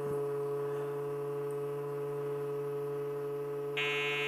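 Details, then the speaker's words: 486 motherboard after reseating CPU with DeoxIT in socket, memory removed: repeated long POST beeps, owner thinks this is the memory beep code; good sign, board now alive. "okay long beep codes I think that is the memory beep code so that's a good sign"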